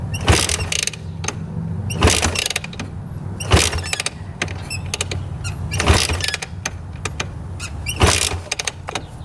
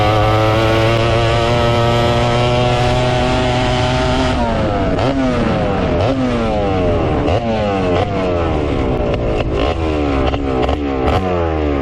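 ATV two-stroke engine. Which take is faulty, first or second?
first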